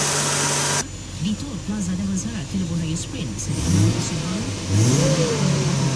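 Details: Toyota 1JZ-GTE twin-turbo engine revving up and back cleanly with no turbo whistle or spool building under throttle; maximum boost only 0.1 bar, twin turbos failed and making no boost.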